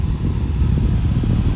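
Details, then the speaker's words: Fan after oiling the front bearing with 3-in-1 oil: low, steady, smooth hum with no scraping or ticking; running freely again, though oiling will need repeating when it runs dry. Normal fan running. "so it's running like a champ again I gave it oil in the front"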